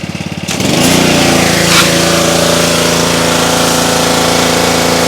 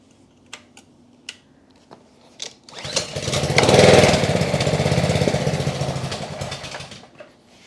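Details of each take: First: Trash-picked Ryobi RY80940B 3100 psi pressure washer with Honda GCV190 engine: cranks briefly, catches at once and runs steady and even with no misses or surging; no leaks, healthy running. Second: Trash-picked Ryobi 3100 psi pressure washer, Honda GCV190 engine from 2018, after carburetor work, second try, warming up: engine catches, runs a few seconds with an uneven beat, dies, then restarts; rough running while warming, cause unconfirmed.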